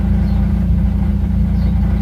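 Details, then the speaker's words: 1996 Honda Prelude Si after wire-brushing corrosion in the distributor: rough, low idle with uneven stumbling beat, still misfiring though less badly, plus brief belt squeal at startup; owner expects no fix until distributor parts are replaced. "Woo, belt squeal. Let's see. Let it idle down. Oh, it's still misfiring."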